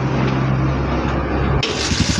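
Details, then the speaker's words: Hard-starting Kawasaki Barako single-cylinder motorcycle after tune-up and air cleaner replacement, kick-started without throttle: thump settles into an even idle, then a sharper burst; catches cleanly and keeps running; normal start. "O ayan oh. Okay na yung motor ni Tatang."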